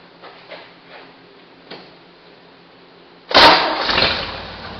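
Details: 1968 Jeepster Commando with a Buick V6, misfiring on one cylinder, is restarted after a spark check at the plug wire. It settles into an idle with a stumbling beat: misfire still present; owner also suspects some mechanical damage.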